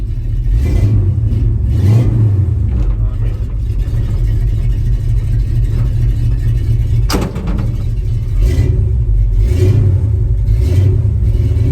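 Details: 1974 Ford F-250 V8 after fitting two new mufflers, mocked up and not fully bolted: deep throaty rumble rising and falling with revs, smooth, no rasp or leak tick; good tone, DMV-friendly — normal exhaust note.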